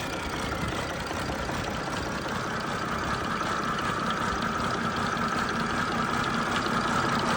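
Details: First start of a rebuilt MMZ-260 diesel in an MTZ-1523 tractor, some small pipes still to fit. Steady, even clatter at settled idle with no knocks above the firing; normal running after engine rebuild.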